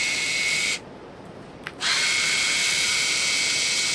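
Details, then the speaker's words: Fujifilm Instax Mini 10 instant camera: thin high-pitched whirring with steady whistle, pause, then resumes; normal but very loud lens motor noise at power on and off. "One quirk of this camera is that it's extremely noisy when you turn it on and off."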